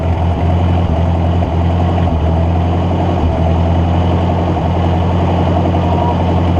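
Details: Ford NAA Golden Jubilee tractor (1953/1954) sat over 20 years, spark restored after a bad battery connection fix: low, steady idle with brief stumbles, running only on fuel poured down the intake; owner suspects clogged fuel line, carburetor then removed.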